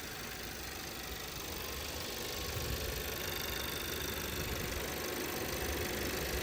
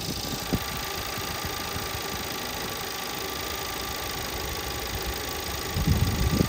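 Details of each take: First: 2017 VW Passat 1.8 engine with random misfires in all cylinders after a few minutes, after camshaft adjustment sensor replacement: idles evenly with a steady hum, no stumbles, still fine past three minutes. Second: 2017 VW Passat 1.8 idling warm: uneven stumbling beat with heavier thumps, random misfire codes on cylinders 1–4 after a few minutes running; new spark plugs fitted; fixed by replacing the camshaft timing solenoid.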